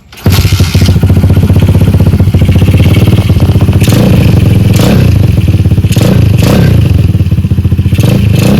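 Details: Stallion Monkey 125cc (Star) single-cylinder minibike, stock apart from a small-magneto conversion with the starter removed, first start after fitting a replacement carburetor: catches on the first try and settles into a quick, even idle with a steady beat; healthy.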